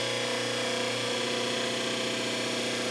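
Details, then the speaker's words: Overhauled 1 hp repulsion-induction motor for a 1937-41 Delta table saw, refurbished commutator, new bearings, brush angle increased further: now starts faster, reaching speed quickly; smooth even hum, steady high whine, no surging. "we go starts much faster much better comes right up to speed that's how it ought to be not not that slow start so that really jumped up"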